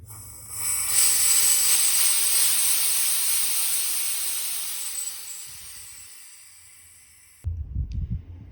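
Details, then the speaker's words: Low-pressure gas line with the cylinder turned off, only the hose contents left: sharp, high hiss slowly fading as pressure drops; leak suspected at the threaded fittings, owner plans pipe dope. "It's not going down too fast, but still going too fast for my liking. Man, it's leaking from everywhere."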